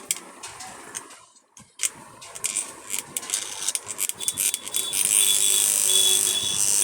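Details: Caged fan after burnt coil was repaired: after handling clicks it spins up to a steady, even whirr with a faint constant hum, good speed, no rubbing or knocking; running normally.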